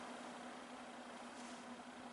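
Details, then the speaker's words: Junkyard vintage Torcan box fan on low speed: soft, steady airflow hiss with faint even hum, no ticks, rattles or wobble; very gentle, quiet, smooth running. "This would actually be really nice for in a bedroom if you're sleeping. Just very gentle, gentle noise, gentle air"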